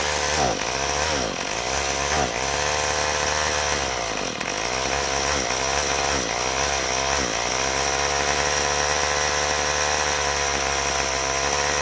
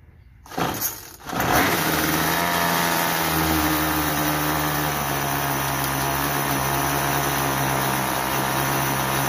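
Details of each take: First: Troy-Bilt TB32EC two-stroke straight-shaft trimmer, off choke: buzzes high but sags and bogs, stalling as soon as throttle is applied; carburetor needs adjustment. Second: Troy-Bilt TB32EC two-stroke straight-shaft trimmer after carburetor idle adjustment (stalled on trigger, head spun at idle); pull start catches at once, settles into steady buzzing idle without stalling, head not spinning: normal idle.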